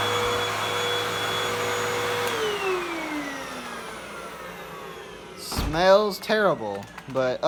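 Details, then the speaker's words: 2012 Hoover Windtunnel 2 Rewind UH70820 upright vacuum, a salvaged find, tested on a first power-up: a steady high motor whine spins up, runs evenly and winds down smoothly. It sounds like a healthy motor, and the cord rewind also works. "seems fine uh but yeah that's that's the hoover in the bissell so"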